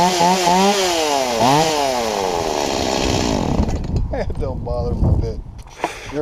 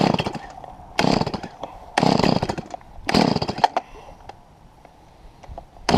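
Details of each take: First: Stihl MS170 chainsaw that was bogging down, after the carburetor inlet control lever, found bent too low, was lifted about 2 mm with pliers: it snaps up cleanly, drops back smoothly and holds revs through the cut with no bogging; fixed. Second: Stihl MS170 chainsaw cutting a 3 ft trunk into heavy rounds: short revving bursts that sag and die under the cut instead of holding speed; saw bogging down under load, cause undetermined.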